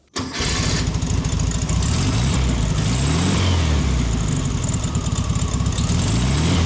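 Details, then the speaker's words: 1973 VW Thing, rebuilt (2018) dual-Solex-carbureted 1600cc flat-four with a new belt: catches at once and settles into an even, throaty idle with no knocks or misses; healthy start and idle. "Now that we've gone through the car, we'll fire it up and let you take a listen to the engine."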